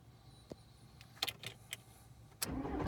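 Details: 2002 VW Jetta TDI that has an intermittent immobilizer-related no-start: here a few light clicks, then the starter catches and the diesel fires promptly and builds revs cleanly, a normal start.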